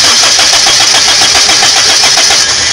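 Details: Toyota Kijang after servicing and adjusting the contact-breaker points, spark visible at the points: quick, even cranking beats with a bright metallic whirr as the engine catches; normal cranking and start.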